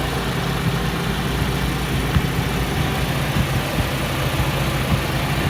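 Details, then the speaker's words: Honda Civic hatchback back on its stock ECU after its leaking capacitors were replaced, which fixed the no-start: low, steady, even idle with no misses or knocks. It runs normally. "i mailed it off to them and for about 75 dollars i was able to get them to replace all of the bad leaking capacitors with new ones and i'm happy to report that this uh hatchback now runs"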